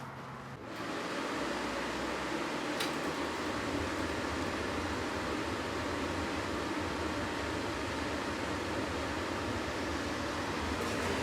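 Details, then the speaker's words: RV furnace run from 4Ah batteries through a 12.2-volt box, thermostat wires jumped: after ignition the blower gives an even, steady whooshing hum with no rattles or scraping. Normal furnace blower operation. "I don't know if you can hear that, but we have ignition. This furnace is putting out heat."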